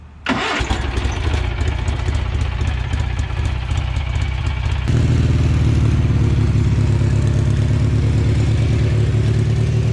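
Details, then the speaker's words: Riding mower/tractor with 18 horsepower Kohler engine: several seconds of cranking, then it catches and settles into a steady, even idle with no misses or knocks; normal start and idle, runs really good. "But it runs really good. It has an 18 horsepower Kohler in here."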